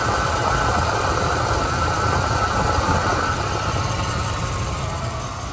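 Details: 1978 Buick Electra V8 after a carburetor overhaul, hot day, carburetor adjusted another half twice, put in gear: uneven, loping idle that sags and fades toward stalling; owner considers a new coil, cause unconfirmed.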